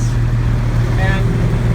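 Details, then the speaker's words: Van's RV-12 aircraft engine at annual inspection, warming up toward operating temperature (58 of 120): steady, even low drone with no misses, much smoother than before; normal running. "you can't feel it, but you might be able to sense that it's running much, much more smoothly than it was. It's very smooth"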